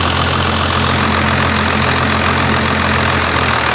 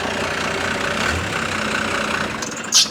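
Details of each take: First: First-generation Dodge Ram Cummins diesel after backing the fuel screw off a quarter turn, idle screw untouched: settles into a steady even idle with smooth clatter, no hunting or surging; normal idle. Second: First-gen diesel idling about 400–600 rpm in gear with AC compressor on: slow labouring idle sagging almost to stall; idle set too low, to be fixed by turning up the fuel screw.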